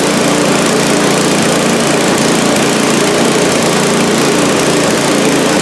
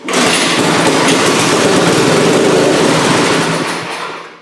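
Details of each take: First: Small engine on a cheap scrap-heap snowblower, just after cleaning a carburetor whose fuel bowl held sludge like used motor oil. Steady, even drone at a constant governed speed, no misses or surging; normal running. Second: Scrap snowblower small engine on starting fluid: bursts into a fast, rattly run for a few seconds then dies; owner plans to clean the carburetor and check the tank for a hole.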